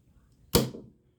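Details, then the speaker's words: HVAC cooling circuit with lockout relay, 24 V transformer: after low-pressure lockout, pressure restored and power cycled to reset; a single sharp clack from near silence then a short fading ring as the contactor pulls in; normal contactor pull-in. "and right away you can hear the contactor pull in all right so that's how that works"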